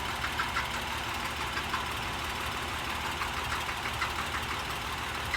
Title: 2011 Acura MDX rattling noise